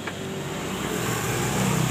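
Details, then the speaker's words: Yamaha Mio J scooter that died while riding and would not start; after reseating a displaced brass socket contact, a steady low hum starts at key-on: fuel pump priming normally. "Dengungan full pump langsung ada ya teman-teman. Dengungan full pump langsung dengung."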